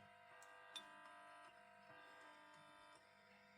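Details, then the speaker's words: Grundig Reporter TK12 reel tape recorder on a reduced ~220 V supply (no dropping resistors), volume turned up: a steady, buzzy multi-tone hum whose level steps with nearby lights switching. Amplifier works; pickup from lights and switch-mode power supplies suspected. "Ah, we're beginning to hear something. This is the volume. So, I think it's picking up the lights and the switch mode power supplies and things."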